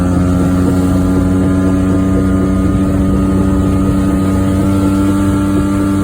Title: Just A Drive 1994 Geo Metro for a short drive(bad wheel bearing)